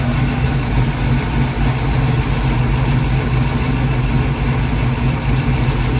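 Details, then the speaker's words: Ford 289-based 331 stroker V8 (Mustang) just after rebuild, warmed up with idle stop cranked in: deep, lumpy idle that never settles; header temperatures checked, no misfire found; mixture screws need adjusting; rough idle. "all right so far so good definitely needs to be tuned"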